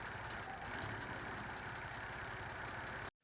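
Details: 1985 Toyota Celica Supra (MKII) with long cranks and a rough idle that smooths above 1000 rpm; a new TPS didn't help: uneven, lumpy idle with an irregular stumble.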